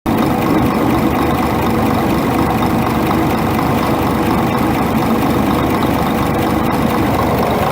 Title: Scania R420 Truck Engine Engine Knock